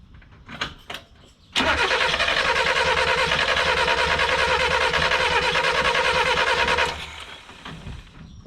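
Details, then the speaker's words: 1988 Ford Festiva after Weber carburetor swap and 13 years sitting, spark confirmed: five seconds of cranking about three beats a second with uneven catches, never firing; owner suspects it needs a little fuel and choke. "do you hear that it is attempting to start it might now just be a matter of a little fuel just a little splash a little choke"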